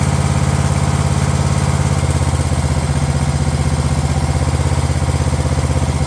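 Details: Craftsman LT1000 lawn tractor on a previously rebuilt Walbro carb replacing the poor-running aftermarket carb: steady, even low thump about four beats a second, no misses or surging; runs much better than before; normal running.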